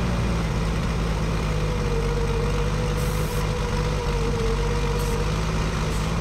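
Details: 1965 Ford F100 V8 abandoned for years, at idle: loud, steady low idle with a faint uneven edge; vacuum leak persists at carburetor, with stripped holes, warped base and wrong gasket set.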